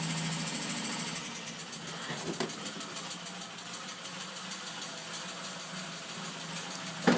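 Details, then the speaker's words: Opel Kadett B OHV 1.2 S tuned engine, high compression, sharp camshaft, large valves, Weber replaced by original carburetor, warm, low idle: fast light ticking over rough idle; suspected valve train ticking though clearance set 0.2 mm intake and exhaust. "jedenfalls jetzt di das Tickern das man hört dürften die Ventile sein aber warum jetzt ist das Spiel nor mal bei 0,2 und 0,2 mm"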